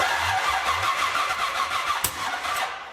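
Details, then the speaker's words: 1975 Chevrolet Corvette Stingray, straight-out headers: labored, uneven cranking about three beats a second and a sharp pop without catching; distributor timing is way too far advanced. "Race car engine straight out the headers and timing off. Which way is it off? Too soon."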